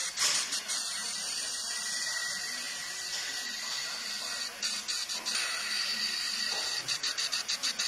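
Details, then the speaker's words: Cylinder leak-down test, listening at the intake manifold: steady high hiss of air escaping through the intake indicates the intake valve not seating on the cylinder head. "which gave me a complete uh understanding that the intake valve was not seating right on this cylinder head"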